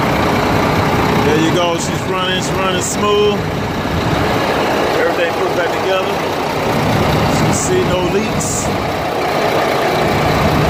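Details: International diesel truck after compound turbo change and exhaust pipe fix: steady clatter at an even idle with no hiss of exhaust leaks or surging; running smooth and healthy.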